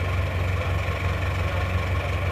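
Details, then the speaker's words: Isuzu Panther diesel, still cold, after broken-crankshaft rebuild, timing set fully to the stop: slightly harsh uneven idle clatter in steady low rhythm, normal smoke; mechanic suspects noise from the injection pump, to test by swapping a pump. "Kalau menurut saya ini suaranya agak kasar dikit. Ini bukan suara dari mesinnya, tapi saya rasa ini adalah suara bospomnya ya, berasal dari bospomnya, karena bospom itu juga bisa menimbulkan suara kasar."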